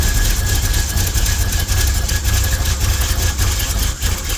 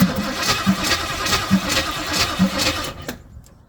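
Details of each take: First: Jeep after advancing the ignition timing, previously hard to crank: engine runs steadily with an even rumble before winding down; normal running. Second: Pink Jeep after brake work, cranking with the air cleaner off: uneven starter pulses about 1.5 per second that never catch. Cranks but won't start; they suspect it needs choke and is getting too much air.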